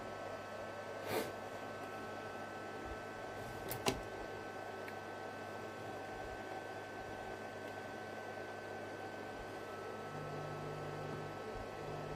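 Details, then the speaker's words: Hartke Model 2000 200 W bass amplifier after a socket was cleaned: relays click, then the small cooling fan whirs faintly, steady and smooth. Running normally. "It seems to be running. Let's uh go into the passive socket. You can hear the fan swaging away there."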